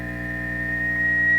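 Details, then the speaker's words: Triwatt tube guitar amp with overdrive engaged (V2b modified): pure steady high squeal rising in loudness at fixed pitch; self-oscillating at under half gain, still ringing a lot at relatively low level. "not quite halfway so it's still ringing a lot on us uh at a relatively low level"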